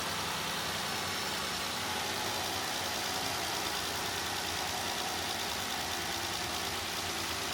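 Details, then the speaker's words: 2016 Jeep Wrangler JK Unlimited Sport 3.6L idling just after new oil filter housing/cooler, spark plugs, coils and PCV were replaced, before warm-up: even smooth idle, no knocks, ticks or misses, no leaks; healthy. "Okay, sounds good, looks good, starts good. Nothing is spraying liquids."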